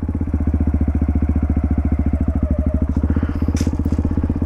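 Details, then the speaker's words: Single-cylinder dirt bike in first gear, recorded by a helmet microphone as the clutch bites. Even, rapid thumping deepens slightly as the bike starts to roll forward: normal engagement load, the cue to give just a little throttle. "so when you hear that sound you're going to want to give it just a little bit of throttle you don't have to slam it and you don't want to get not enough"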